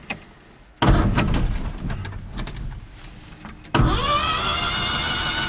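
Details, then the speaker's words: Carbureted pickup (the Luv) that died on a trail: spark and fuel confirmed, starter spins engine fast and light with no compression chugs, high whine on second try, never catches; owner suspects lost compression, unconfirmed. "see it sounds like there's no compression um my best guess at the moment cuz uh it is spinning the engine"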